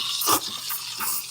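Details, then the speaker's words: Bravo espresso machine steam wand heating milk while small amounts of air are introduced: soft steady hiss with gentle paper-tearing chirps and no screech; screeching would mean more air is needed, milk aerating properly. "the goal is where it should be very quiet if it's like screeching um you need to add a little bit more air"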